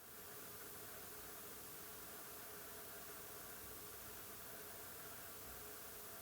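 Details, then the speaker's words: Sony FE 35mm F1.8 lens on a camera, recorded in a small booth with a Rode NTG3 about 5 cm away, autofocus and stabilization off: faint, constant hiss with a thin steady hum; lens keeps working noisily even while idle. "the lens is somehow constantly working and produces background noises that are just too loud for me when recording video"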